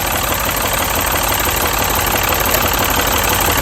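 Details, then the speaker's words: Mini petrol engine idling rough and uneven with a steady stumble; unplugging coils one by one found cylinder three's dead ignition coil, replaced with a new coil. "so now we know that cylinder number three and plentiful number three is the problem"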